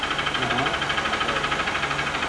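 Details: 2014 Honda Bros 150 brought in for engine noise: a quick, regular knock, about eight a second, sits over the idle and keeps time with the engine; a worn connecting rod, cured by replacing it.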